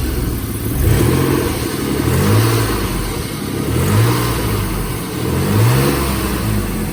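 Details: 1995 BMW E34 520i Touring phase 2, six-cylinder: a rough, raspy exhaust rising and falling with slow revs over a low rumble. The muffler is completely rusted through and leaking, a technical-inspection fail point.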